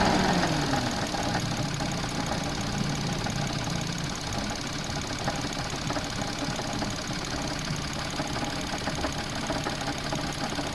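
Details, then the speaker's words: Suzuki Alto at idle: a constant fast, uneven rattling knock from the front accessory drive that grows louder with rpm; the failed alternator wobbles out of true under load, especially as the AC cycles. "looking at them images you can clearly see that the alternator is not running true and this is especially the case when it's under load or when that air conditioning is kicking on and off you can see it wobble in and out"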